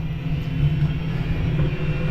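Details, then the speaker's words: Narrowboat diesel central heater running while radiators warm after cracked radiator repair and refill, bleeding air: loud, steady low drone with an even hum, no surging or knocking; runs normally. "The heating's still going, all the radiators are getting warm apart from the one at the front because there's no water in it"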